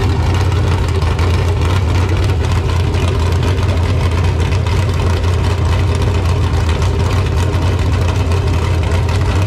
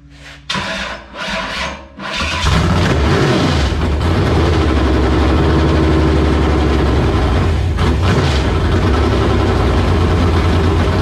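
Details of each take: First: LQ9 V8 with Texas Speed Magic Stick 4 cam on a run stand, Holley Terminator X base tune, running a little rich; one-chamber Flowmasters fitted to quiet the very loud open header. Deep, even burble at steady idle, no ticks or knocks: normal idle. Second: LQ9 V8 with Texas Speed MS4 cam on run stand, Holley Terminator X base tune, first start after long sitting: catches to loud lumpy steady idle, running rich with heavy fuel (not oil) smoke; owner blames long sitting.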